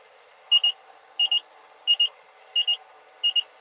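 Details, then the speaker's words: JCB Fastrac tractor cab while rolling wheat drilled after oilseed rape: paired high-pitched beeps repeating about every 0.7 s over faint cab hum, an unexplained cab warning alarm the driver keeps pressing a button to silence. "Just keep pressing that button to stop that thing beeping at me."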